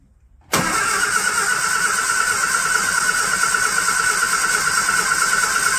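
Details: Barn-find classic Mini pickup-based ice cream van, petrol, first start attempt: starter whirs engine over steadily for five seconds with no firing; cranks but won't start; throttle found very sticky.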